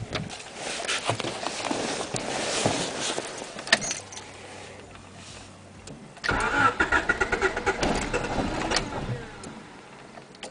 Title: teine käivitus, crank but no start